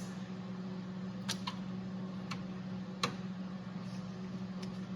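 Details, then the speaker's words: BMW E31 850i V10 project, key on with power applied: four sharp relay clicks over a quiet steady hum and no actuator motor whir afterward. The throttle actuators are not initializing. "so applying just power without the throttle actuators, it yields the same type of clicking that's happening, but there's no humming coming from the actuators themselves."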